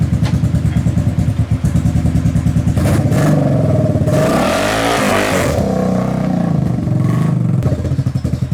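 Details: Kawasaki KFX700 quad, carb cleaned, spark present, timing chain checked, owner suspects stuck valve or bad timing chain; choppy idle with irregular stumbles and a coughing rev, intermittent misfire with intake backfire.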